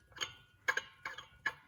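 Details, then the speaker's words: Paramotor prop hub, with the prop turned by hand after the pulley and bearing were ruled out: light, sharp clicks about every half second, catching once per revolution; owner suspects dragging clutch shoes. "i still think look here it's catching it's almost got to be those clutch shoes"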